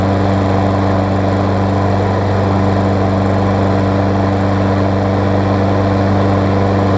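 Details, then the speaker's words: Craftsman self-propelled mower, Tecumseh single-cylinder, on old primed gas, after fixing loose, backwards blade that caused clunking: steady, even drone with no misses, knocks or surging; runs smoothly. "we'll see if it will run on its own what you might will see it's got some rather old gas and these things like to be primed quite a bit see we get a turnover that's starting forward there as you can see"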